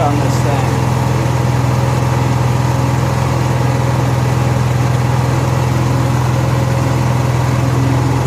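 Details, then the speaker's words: Honda EXW171S welder generator, sat in a barn over 5 years. Steady, even low drone with no knocks, misses or surging; it runs fine, needs cleaning up and an air filter check. "well getting what I thought was going to turn into an interesting video on this Honda II xw1 71s welder generator is turned into it runs fine and you see needs a little cleaning up"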